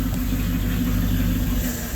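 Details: Warm LaSalle engine with choke open, revved from inside the car with camera at the exhaust: flat, uneven, stumbling exhaust pulses, rough running absent when choke partly closed; fuel starvation suspected, cause unconfirmed.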